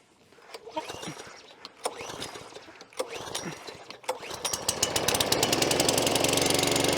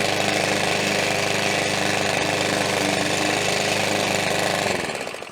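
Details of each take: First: Brand-new lawn mower bought boxed from a DIY store, on its first start after priming: several pull-cord grunts, then it catches into a steady rapid popping that sounds dull and flat, so it runs rough and not at its best. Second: 16-inch (41 cm) petrol lawn mower during a test cut: strong, steady engine buzz holding speed under cutting load, then dying away at the end; the engine sounds normal under load.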